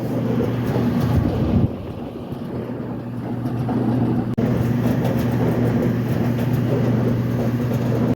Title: Dryer making noises easy fix Kenmore whirlpool estate Crosley amana roper